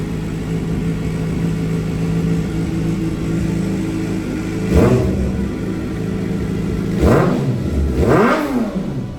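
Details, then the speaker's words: 2007 Suzuki GSX-R 750 after rebuild, fuel tank swapped: steady, even idle with quick throttle blips rising and falling freely, running much smoother; earlier rough idle was caused by bad fuel — normal revving. "That's a good start. Bike sounds like it's running a lot smoother."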